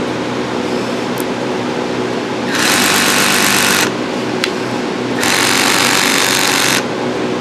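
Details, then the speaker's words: Cordless drill on its lowest clutch setting against a stripped, rusty screw during RV roof repair: two bursts of harsh ratcheting chatter over motor hum as the clutch slips, vibrating to loosen the rust. "So there's clutch settings on your gun right here. Turn it as real low as you can. And you got to make sure you get lined up with the head of that screw really well. And you hear it? It's sending a vibration all the way down."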